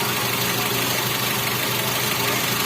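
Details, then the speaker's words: Toyota Avanza power steering pump with the engine idling: quiet normally, but groans and hums while the steering wheel is held at lock; the fluid is foaming and the pump's aging, hardened seals are leaking. "Oke kita nyalain mesinnya dulu Mei hai oke maksudnya Lah Yo menyala pompa power steering lihat aman tapi ketika serinya ditahan bunyi ayo"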